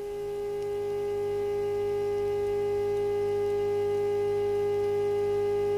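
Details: Telefunken Hymnus AM/FM/shortwave radio-phonograph, after power transformer and IF coil repairs, signal generator injected, warmed up, heard through the set's own high-impedance speakers: clean steady single tone with faint hum underneath; normal AM IF test tone.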